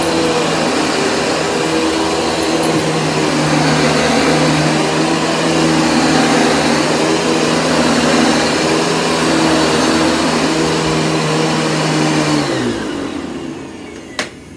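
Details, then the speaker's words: Panasonic MC-6347 upright vacuum on carpet: a steady high motor roar with a constant brush hum, no surging or rattling, then a clean spin-down. It runs smooth, and the brush roll has only a minor click. "I mean, it runs smooth, no problem."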